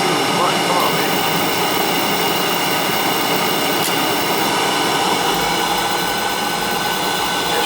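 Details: Old leaking boiler after boiler seal and other fixes, firing on restart: steady even roar builds and holds, no sputtering or pulsing; burner lit and firing cleanly.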